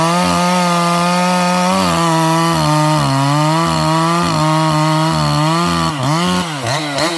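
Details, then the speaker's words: Ported 154 two-stroke chainsaw screaming at high revs, pitch wavering up and down instead of holding steady; a naked spot on the kill wire was shorting out the spark. "we noticed it before it wouldn't really do it while it was running before but the high rpm it would sit there and kind of flutter almost acted like it had a limited coil"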